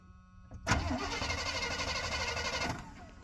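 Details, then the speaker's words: Free plow truck: starter spins the engine evenly for two seconds with no firing and no spark; owner suspects the ignition module burned out because the ground wasn't connected correctly; crank, no start. "maybe it burned out the module and everything not being grounded correctly"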